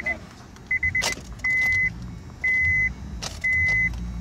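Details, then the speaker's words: 2005 Honda Civic with weeks of starting trouble, new starter installed, key on: high electronic buzz repeating about once a second from the ignition area, dash display lit, engine never cranks. "you hear the buzzing but and also the aim like from the ignition the hutt the displays lit up okay"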